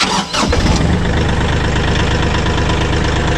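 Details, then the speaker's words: Kioti CK4010 tractor that wouldn't crank, fixed by replacing the clutch safety switch; started with the clutch pushed. A brief crank, then the diesel catches at once and settles into a steady, even idle, a healthy start. "And that's the sound you want to hear. Not all the My Tractor Won't Crank issues are that simple, but I hope if you're having the same issue, one of those few things is your problem."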